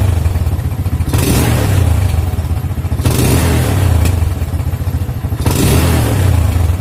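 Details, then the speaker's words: Old Yamaha Jupiter MX motorcycle with AIS system, revved and released; the exhaust pops and bangs on deceleration. The AIS was cleaned about a year earlier, and the owner checks whether it is dirty again or leaking. "Eh sekarang dia bermasalah lagi ya yaitu ketika kita gas dan saat dilepas dia meledak ya pada knalpot"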